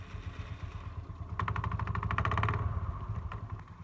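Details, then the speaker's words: TVS Jupiter scooter with damaged CVT drive belt, front cover already removed: fast rattling clatter about three or four times a second over the idle, louder in bursts as revs rise. "एक खटर खटर का साउंड आ रहा है इसमें, क्योंकि हमने आगे में पहले ही खोल दिया है।"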